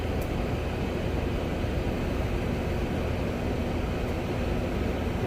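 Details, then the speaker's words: TurboChef oven magnetron test via the held magnetron button, drawing 15.4 A on the meter (18 A on the screen). Constant low hum with the magnetron cooling fans kicking in and no crackle. Normal magnetron operation. "okay, and then you just let it go, and then you can hear the fans kick in for the magnetron that cools down those mags after they heat up."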